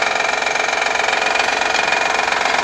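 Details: Honda Elysion 3.0 V6 with cylinder deactivation, warm idle: steady hard knock about nine beats a second from the deactivating cylinder head, sounding like camshafts or connecting rods, worsening as it warms; engine pulls normally.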